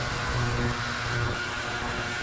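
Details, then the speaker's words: Ultrasonic cleaner cleaning parts, heater off: steady even buzzing hum with a constant hiss, no surging or rattling; running normally. "So I'll turn it on. You can kind of see how it's not real pleasant of a noise, but I don't know what the camera will pick up."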